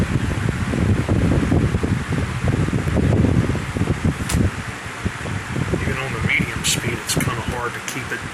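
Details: Lakewood 20-inch box fan from the late 1990s or early 2000s, cleaned and reassembled after 2.5 years in storage, on high speed: a steady, even rush of air with a low hum and no rattles; runs smoothly.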